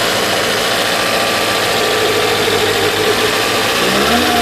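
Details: Supercharged Toyota MR2 at idle; a tapping noise is also questioned and suspected to be a valve. Loud idle with an uneven, lumpy beat and wavering drone, not settling smoothly. Rough idle, cause not identified.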